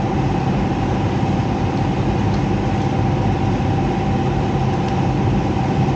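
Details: Heat pump with electric heat, top panel removed: loud constant heavy rumble with a steady hum, no rise or fall; the blower fan wheel is damaged and cannot be removed without ripping the whole unit apart.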